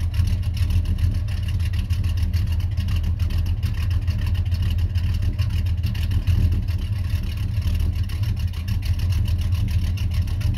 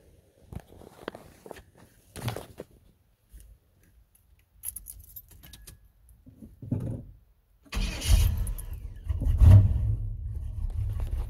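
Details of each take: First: 1991 Chevy Silverado C1500 350 V8 with Summit cam and 650 double-pumper carburetor, idling around 600–650 rpm: deep, steady lopey burble, even firing with no pops or misses; normal smooth cammed idle. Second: 1991 Chevy Silverado C1500, rebuilt 350 V8 with stock bottom end and Summit cam, new carburetor with no choke: after handling noise it fires and settles into a lumpy, uneven low rumble, a rough cold idle without a choke.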